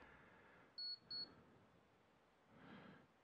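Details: Power supply tester on a 1000-watt PC power supply reading about 12 V and 5 V rails: two short high-pitched beeps close together, then quiet; the tester signalling a good supply.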